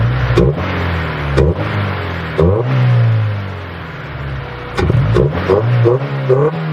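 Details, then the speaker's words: Honda Del Sol single-overhead-cam VTEC with a newly installed carbon fibre intake, recorded near the intake; crisp revs from idle climb and fall cleanly with a deep intake roar and no knocks or rattles, healthy free revving. "the intake sounds really good that's for the exhaust it's a nice tone like it's not like a rice burner you know your typical Civic rice burner type of sound"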